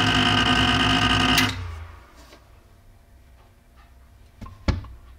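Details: Creality Ender 5 Pro Z axis on first use, harsh buzzing grind when the bed is at the very top near the extruder; fixed by manually rotating the Z axis down slightly.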